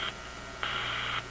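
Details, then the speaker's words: Hiss with two sharp buzzing bursts, short then about half a second long, heard on a Zenith G615 AM tube radio (chassis 6G05): RF interference from the power supply of a sleeping office computer about 20 feet away. "That sound there. That is my office computer, which is about 20 feet from here, and it's not on. My office computer is in sleep mode, and this is what it generates while it's sleeping."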